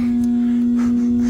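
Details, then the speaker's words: 48,000 BTU central AC outdoor unit blowing warm air, not running: loud steady hum from humming contactor, fan and compressor not starting; bulging (pregnant) run capacitor failed, replaced. "Outdoor unit is not running. It's humming though. I hear it humming. She's humming. Okay, we have a humming contactor."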